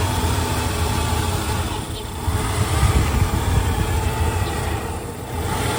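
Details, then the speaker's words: OBS Ford F-150 truck idling with a low uneven rumble that surges, sags and skips, also while driving to red lights; owner suspects idle air control valve or fuel issue, not confirmed. "you guys can hear that truck is struggling to idle, and it even does it while I'm driving as well. When you're going to a red light, it'll just jump and skip and all sorts of stuff."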